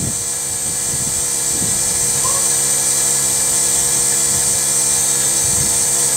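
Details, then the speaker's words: Rover 75 CDT diesel after fuel filter and lift pump service, ignition on, engine off: high steady even electric whirr without stutter; lift pump priming normally, as expected. "it is making noise which is expected I don't have all this we'll take right okay so that's that's okay okay so that stopped whizzing"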